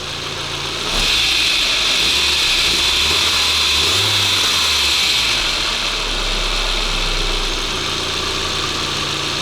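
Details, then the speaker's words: 1998 Volkswagen Passat B5, 479,000 km, engine warming up before oil change: steady, even idle with one brief rev rise settling smoothly back; normal warm-up idle. "прогріваю двигуни для заміни масла"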